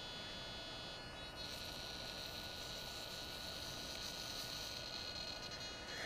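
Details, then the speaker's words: DJI Phantom 2 Vision stock OEM pitch gimbal servo, camera pitched down via smartphone control: thin high whine that steps and stutters instead of sweeping smoothly, noisy and jerky compared with the quiet Hi-Tech HS-5055MG replacement; jerky servo movement with whine. "I'm going to pitch the camera down with my smartphone it's noisy I also noticed that it's not real smooth it almost has kind of a jerking motion to it compared to the high tech"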